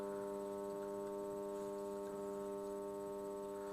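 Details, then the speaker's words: German Graetz valve radio of unknown history at full mains voltage after dim bulb test: steady low buzzy hum with faint crackle, no station; mains hum suggests output stage works; IF/RF valves or aerial suspected. "um but it does have Mains Buzz so that looks like it's a reasonable indication that at least the output stage is probably working"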